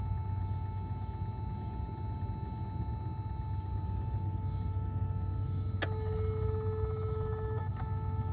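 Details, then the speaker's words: Mercedes S320 throttle actuator with a test EGAS/throttle control module installed in place of the original, ignition on, engine off: a click, then a steady two-second hum and another click as the actuator runs its normal learning cycle, indicating the module is operational. "okay ignition is on and the throttle is humming yes it is so it makes me think that the module is operational"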